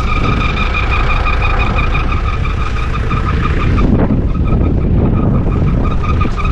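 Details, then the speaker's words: Mitsubishi Shogun / Pajero; steady piercing high squeal over the engine holding pitch with revs, fan/alternator belt slipping, later fixed: squealing fan belt. "I'm sure you can hear that that's the uh the fan belt"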